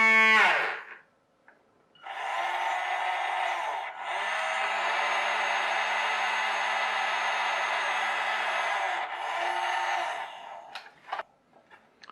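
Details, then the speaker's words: RNLI Severn Class RC lifeboat by Zappies, small clip-together drive motor reassembled and lubricated: steady even high whine, no longer rattling around; owner unsure whether it sounds weaker or just better lubricated; running smoothly. "I don't know whether that sounds weaker or it's just better lubrication it's not rattling around so much"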